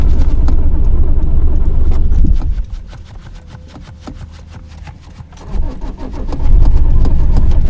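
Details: Long crank on a cold winter morning at the roadside: steady starter churning at about three or four beats a second, never catching into a run; extended cranking, no start.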